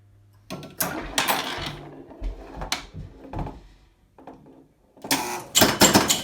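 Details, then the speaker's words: Gottlieb Sure Shot electromechanical pinball after repairs and cleanup: bursts of quick mechanical clicks and relay chatter as the bonus steps down, counting cleanly. Normal bonus count. "bonus counting correctly so i believe this is good"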